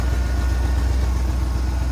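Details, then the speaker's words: 1996 Ford Bronco V8 with recurring P0306 misfire: deep, even idle with no stumbles once a wire is moved out of the way; putting the wire back made the engine run rough, so the misfire is fixed. "If I put it back how was it like this, the engine starts fighting. You see that? Then I get it out of the way and then come back to normal."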